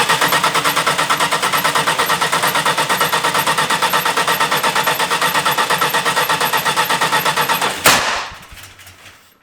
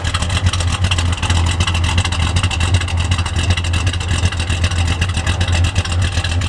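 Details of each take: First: 1972 Dodge Dart Swinger Special with the 340 V8, first start in years, no choke, oil light on, cranked indoors: even cranking ends in one sharp, loud shotgun-like bang, then it runs; backfire, timing suspected about 180 degrees out, not confirmed. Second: 1972 Dodge Dart Swinger Special, 340 V8 with chop cam, first start in years after the carburetor was repaired with a new gasket and accelerator pump: loud, loping V8 idle at about 2.5 beats a second, classic big-cam chop.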